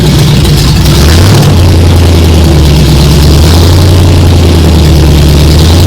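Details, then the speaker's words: Ford Ranger rock crawler truggy, first start, stone cold, no exhaust with open headers, fuel system primed, fluids just added: loud deep steady idle with even low rumble after a blip; engine runs clean and healthy. "so let's hear it there is no exhaust it's just open headers so it's pretty rowdy"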